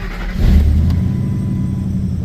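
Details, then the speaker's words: 2003 Ford F-150 V8 after replacing a failed ignition coil with a new NGK coil: cranks, catches at once and settles into a smooth, even idle with no stumble, running on all cylinders; the coil fixed the misfire; normal idle. "she sounds good. Looking good. Looking good. That coil did it."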